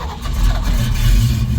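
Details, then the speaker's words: Mustang started cold after an ignition switch repair cured its crank no-start: the engine labours and bogs with a low, uneven drone as it tries to catch. The owner says the accelerator pump needs fixing. "Oh, well, she's a little cold, so, but you can hear she's trying to start. Oh, come on, baby. Need to fix that accelerator pump."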